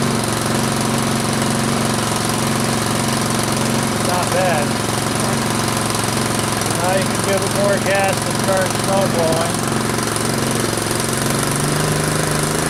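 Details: Troy-Bilt Storm 2840 electric-start snow blower warming up after a choked start, choke being opened a click at a time: steady, even single-cylinder drone with no misses or knocks, pitch climbing smoothly as throttle opens; healthy.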